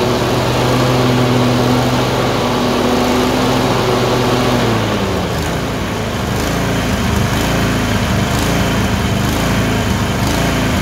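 Engine note rises and sags unevenly, with irregular stumbles breaking the beat; a twin surging and missing at random.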